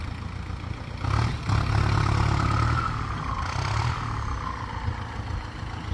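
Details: Ford 5000 turbo diesel tractor ('68 in listing), new battery, just arrived and unwashed: steady low idle with a clear high turbo whistle that swells and eases as revs rise; normal, healthy turbo whine.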